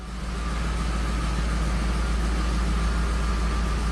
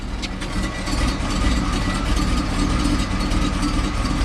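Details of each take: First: 1979 Hurst Olds V8, fast idle kicked down, carburetor adjusted, shifted into gear: deep, steady rumble holding even without dipping or stumbling; normal idle in gear. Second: 1979 Hurst Olds V8, fast idle kicked off too soon before fully warm: deep idle with a faintly uneven, loping beat around two pulses a second; slightly lumpy cold idle.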